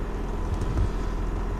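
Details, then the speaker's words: Nissan Hardbody truck being rebuilt after a wreck, cold idle with fresh oil change and no coolant, run only briefly: quiet, even idle with a soft steady hum and no startup rattle or chain slap, though it rattled at the very first start. Normal, healthy. "fresh oil change amazed how quiet it is"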